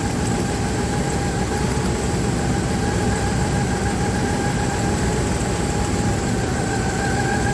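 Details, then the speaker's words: Dodge Ram 1500, believed 3.6 six-cylinder, at idle with a misfire. Steady low idle with a faint uneven stumble. Plug wires are pulled while listening for a loud arcing tap to locate the misfiring cylinder; a bad spark plug is suspected. "When it's misfiring, you pull the wire, then it should hear like a tap, tap, tap, and it should be pretty loud because that's what you hear arcing from the ignition wire to the spark plug to the closest ground."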